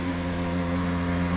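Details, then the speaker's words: Bosch dishwasher with error code E21 makes a loud, steady droning hum with strong low tones. The circulation pump is damaged, probably its impeller, and had to be replaced. "that is the sound when the pump the circular pump is damaged maybe the impeller is damaged so this is the noise and the error code is E21 so you can hear it how noisy it is"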